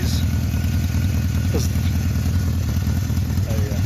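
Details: One-owner 1976 Honda CB750K (K6) SOHC four, 2,365 original miles, on non-ethanol fuel: steady, even low burble at idle with no misses or knocks, some street noise; running fine.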